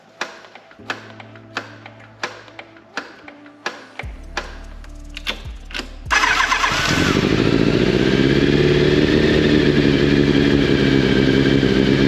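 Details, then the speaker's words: Yamaha FZ750, carbureted 20-valve inline four, first start in a long time via TOPDON JS1200 jump starter, chokes full on: several slow cranking clicks, then it catches and settles to a fast, even idle with light top-end valve ticking; valve noise. "que ça fait un bon moment qu'on n'avait pas démarré vu le temps quels amis et puis le retour des soupapes qu'elle nous a fait"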